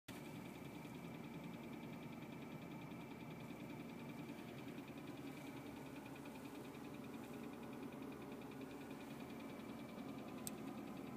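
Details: BMW E36 328i at idle: fast, even light ticking over a steady petrol idle; owner guesses the fan but the source is unconfirmed.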